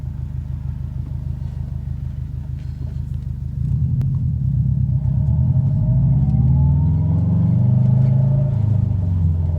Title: High pitched squeaking noise coming from behind driver side fender